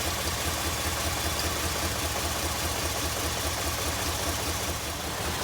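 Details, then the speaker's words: 2002 Jeep Liberty Limited at idle: uneven chugging, train-like pulse about twice a second, engine vibrating more than it should; rough running, cause not yet found. "Engine's vibrating. I don't know if you can see it, but it's definitely vibrating more than it should. It kind of sounds like a train."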